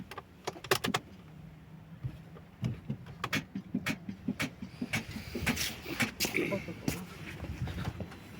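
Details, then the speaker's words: Opel Astra G 1.9 CDTI with an automatic gearbox that won't start: a sharp solenoid click with each key turn, but the engine never turns over; a starter problem, so the starter is being replaced. "Ану ще раз втягующе щолкає добре але не заводиться"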